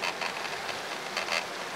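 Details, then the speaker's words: Bicycle with camera mounted on handlebar by a new tripod, riding on smooth asphalt: short dry creaks in clusters over tyre hiss, faster with speed, not caused by paving stones; source not yet found. "Tam za chwilę będziemy na alejkę z asfaltu, ładny, gładki asfalt, ale mimo to kamerka dalej tak będzie trzeszczeć."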